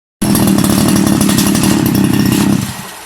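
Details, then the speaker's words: Two-stroke grass trimmer: buzzes at high revs for a couple of seconds then dies when the throttle opens, idling but stalling on acceleration; clogged carburetor, fixed by draining fuel and thoroughly cleaning the carburetor. "นะครับอาการเดินเบาติดเร่งแล้วดับนะครับเร่งแล้วดับครับ"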